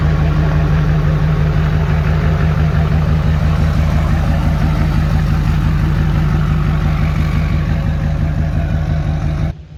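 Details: Rebuilt Duramax diesel idling with no exhaust installed, not quite a cold start: loud, raw diesel clatter at a steady, even idle; smooth and healthy apart from the open-pipe noise.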